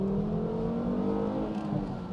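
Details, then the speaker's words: Volvo V70, $800 car with newly installed replacement engine, manual transmission, stock airbox refitted, first test drive: five-cylinder pulls cleanly in gear with smooth rising note, no stumble or misfire under load; quick but not fast, healthy acceleration. "oh my God that is too fun it's definitely not fast but it's quick to the point where like when you get on a back road or something or you just want to have a little bit of fun with that manual transmission it's super engaging"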